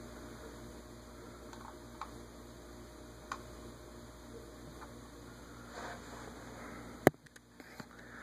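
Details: Hunter Studio Series remote ceiling fan in polished brass with low-profile light, on low speed: quiet, even low hum with no wobble, ticking or scraping, just a soft handling click near the end; runs fine.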